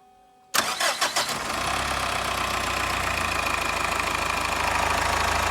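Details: Subaru EE20 diesel after crankshaft bearing bed repair with new D16T aluminium-alloy beds: short crank, catches within a second and settles into a smooth, even idle with no knocking; normal start and idle.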